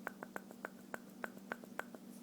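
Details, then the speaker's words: O.S. 50 AX model engine with the crankshaft rocked by hand: sharp light clicks about four to six per second, matching visible play between crankshaft and piston; owner unsure whether this is normal. "I'm just oscillating the engine just a little bit is that normal might just be maybe I just bumped it right now in my hand like and it made this noise"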